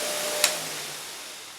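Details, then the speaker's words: New Eastwood bench buffer (1/2 hp motor, 5/8-inch shafts, 8-inch wheels) spinning down after one light tap. Smooth airy whir with no rubbing, wobble or knocking. Quiet, stable, working well: a normal, healthy buffer run. "But it's quiet, it's nice and stable. Works great. Love it."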